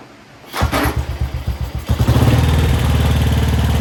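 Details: 1955 Velocette single, revived after sitting over 20 years, open air box, no generator fitted: loud separate thumps, a brief stumble, then a steady even beat about four firings a second; running normally.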